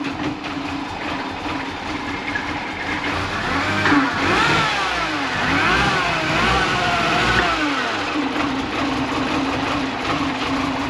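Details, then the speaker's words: Mini Cooper after the water pump, oil filter and cooler line work, coolant plug out for burping and a misfiring engine: cranks, catches and revs unevenly with a wavering, stumbling note; rough running, owner suspects a vacuum leak or throttle body. "Yeah, I'm gonna leave that so I can, because I have this plug out for burping it. I'm gonna start it, even though it runs like crap."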